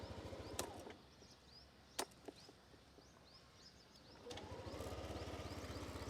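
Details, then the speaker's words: Yamaha Aerox 155 scooter start: quiet background, then the engine catches and settles into a soft, even low putter with no rattles; clean, refined start and idle. "Very pleasing, and you will definitely appreciate the overall refinement levels on this Yamaha Aerox 155."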